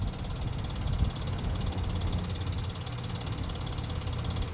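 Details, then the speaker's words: 2017 Nissan Pathfinder at idle: fast, light ticking over a steady idle rumble, keeping pace with engine speed; sounds like lifters, likely needs repair. Cause suspected, not confirmed. "lifters, sounds like ticking. I would imagine it's got some repair to it."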